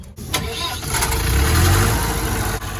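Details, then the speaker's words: Diesel on breakdown call (tractor 135 or DAF lorry, earlier cutting out after about a minute), tested under load: catches quickly after brief crank, settles to steady even idle clatter; starts and runs normally. "Sounds good to me then."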